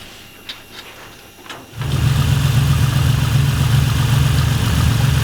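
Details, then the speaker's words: Naturally aspirated ITB Toyota Supra on dyno with running issues: deep, lumpy idle rising and falling, sounds like a couple of cylinders out; airflow through all six throttle bodies being checked, cause unconfirmed. "sound a bit it sounds like there's a couple that are out"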